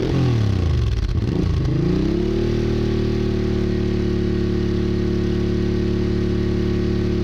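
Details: Honda Bros/Hawk GT 650 (late-80s), warmed up over 10+ minutes, camera held near the exhaust: a few quick blips rise and fall, then steady, even, deep idle, no knocks or misses; healthy. No coolant leak found.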